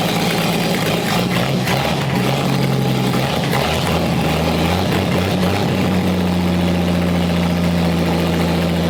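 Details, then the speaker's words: Chevy 250 straight-six out of a 1964 C10, crankcase full of ATF and no cooling system, starter wired unconventionally: steady, even low idle with no knocks or misses after its first successful run. "all righty I'm going to consider that a win"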